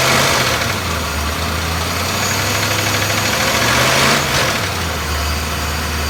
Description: BMW S62B50 vanos or timing chain noise, probably both. Upper plastic chain guide partly destroyed.